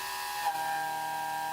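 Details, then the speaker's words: Haas mill cutting a part that overhangs far out of the vise and is poorly supported: a sustained high, ringing squeal, classic chatter from the part bouncing under the tool. "Clearly, our part is not being supported well, right? With this part hanging out so far, when the tool is in the cut, it's really going to be bouncing around, giving us a lot of chatter."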